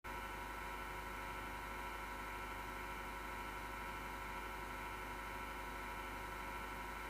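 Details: MSGW Plutos PC power supply fan, grinding since December 2015, vibration felt: constant dry rasping, gritty whirr at steady speed; worn PSU fan bearing grinding, owner unsure whether to lubricate or replace.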